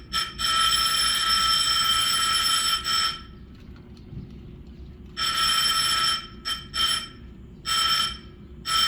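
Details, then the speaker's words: Apartment complex fire alarm inspection, bell on the far side of the building (only one side has a bell): loud continuous high-pitched ringing in repeated bursts with short gaps; bell and circuit work normally. "And you may not be able to hear it, but it is going off on the other side."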